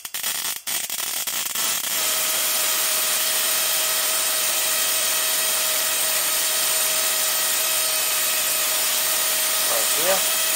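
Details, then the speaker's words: 555-timer ignition coil driver/tester on a 7 Ah sealed lead-acid battery with a 103 (0.01 µF) capacitor and the gap moved closer: a steady, even high-pitched spark buzz at about 3.1–3.2 kHz, with the heatsink running warm but touchable; normal arcing. "Now we're around 3.1 to 3.2 kilohertz. And you can see how much higher the frequency was using that capacitor."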